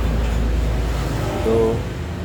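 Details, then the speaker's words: Freshly assembled 1 HP air compressor pump, not yet mounted on its tank: steady low chugging with some mechanical clatter from the unmounted pump but an even run with no knocking; valves confirmed good, pump runs normally. "masih bagus ini suaranya agak agak berisik ya tadi karena ini belum dipasang di tabung posisinya juga masih gini"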